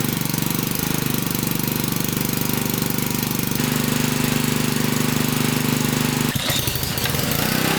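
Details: Honda-type pressure washer engine that wouldn't start after storage, carburetor cleaned in place with solvent kit: small single-cylinder running steadily with rapid even putter and no misses; now starts and holds governed speed normally.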